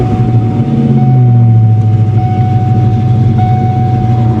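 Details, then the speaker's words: 1993 Ford Mustang GT convertible, manual, first start after auction purchase with weak-sounding starter and stalling: deep, very loud booming exhaust at a lumpy idle with a faint whistle, check engine light on; roughness cause unknown. "come on don't do this God the exhaust is loud"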